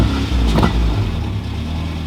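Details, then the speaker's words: Honda Civic with newly installed cheap eBay cat-back exhaust, revved from inside with windows down: short blip with deep, smooth rumble falling evenly back to idle, no rasp or rattle; normal. "Deeper tone. I like it. Nice. All right, well, I think we can live with that."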